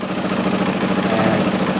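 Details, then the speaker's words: 2003 Honda XR400 brought in not running, after valve clearance and cam timing checks, started after 365 kicks with idle turned down: single cylinder putters along at a steady, even idle with no knocks or misses; runs well, normal idle. "I tell you now, that runs pretty damn good. All right. See, it's running."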